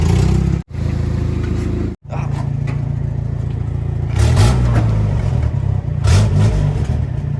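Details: Toyota 22R engine with an exhaust leak: deep, raspy rumble with a loose puffing pulse that swells when the throttle is blipped.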